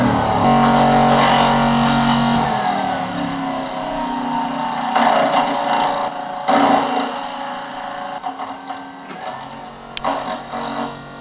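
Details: 1968 Ford Mustang convertible heater, newly installed blower motor: even fan hum whose pitch settles and stays smooth with no rubbing or ticking; blower running normally.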